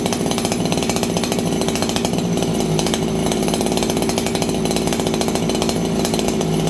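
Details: Farmertec 288XP kit chainsaw just after ignition repair and a new spark plug, on a cold day around 5 °C: runs fast and buzzy with a thin, slightly hunting note and no rich burble, running lean; tuning needed.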